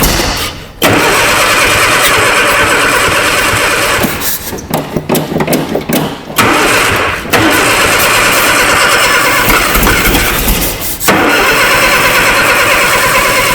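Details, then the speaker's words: Abandoned 1960 Nash Metropolitan first start after sitting, battery changed: cranks, catches and sputters, ragged with uneven stumbles and dropouts; misfire, suspected crossed plug wire firing against itself, not confirmed. "sounds like we got a wire across way it's firing against itself you know"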